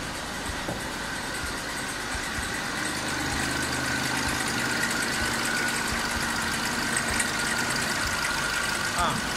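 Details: Citroen C3 HDi diesel that died while driving and then cranked without starting, now running after bypassing a cut crankshaft position (CKP) sensor wire pin: steady even idle with light diesel clatter, no stumbling or hunting. The fault is only the wiring; the sensor is fine.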